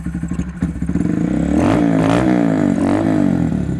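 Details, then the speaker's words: 2018-2020 Honda Monkey 125 with newly installed Chimera short ram air intake (about 1 hp gain): choppy single-cylinder idle about four pulses a second rises to an even, throaty rev and settles back; running healthy. "You'll notice that it's a 1 horsepower increase, throatier sound, and it's ready to kick some ass."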